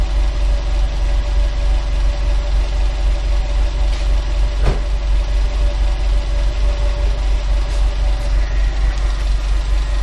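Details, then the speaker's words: Subaru turbo with an HKS SQV4 blow-off valve fitted without retuning: a steady low idle rumble broken once by a single sharp exhaust pop after a light rev; the pop is new and its cause unconfirmed. "that pop was new I didn't rev it high enough because I know my nees are going to fuel have fun Po and that's what you get a little [Music] Pop"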